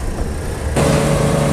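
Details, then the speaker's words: Condensing unit with what appears to be a Copeland semi-hermetic compressor: compressor kicks in with steady low hum and mid-pitched drone over fan rush, no rattles or knocks; running normally. "okay and of course that noise you hear that's the noise well of the condensing unit the compressor"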